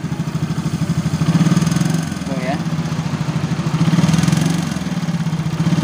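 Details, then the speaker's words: Yamaha X-Ride (Mio, engine code 54P) scooter: normal at idle, but under throttle around 30–40 rpm range a dry, fast metallic rattle rides on the pulses; worn piston and worn cylinder block, piston slap. "Jelas ya suaranya. Kritik ketika digas di RPM sekitar 40 sampai 30-an."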